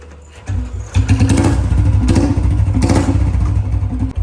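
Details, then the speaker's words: Royal Enfield Bullet Standard 350 after tightening the front exhaust pipe nuts to cure a leak at the pipe: single cylinder catches and settles into a deep, even thumping idle with no puffing or ticking at the exhaust joint; leak gone, normal idle. "भाई पूरी आवाज जो pack निकल रही थी पूरी ठीक हो गई है कोई भी लीकेज नहीं है"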